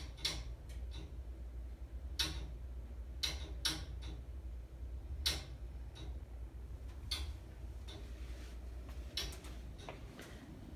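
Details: Intermittent sharp, irregular clicks and pops from gas meter and pipes over a steady low hum, at random times and durations; persists after meter replacement; furnace seems gas-starved, then runs full blast once clicking stops.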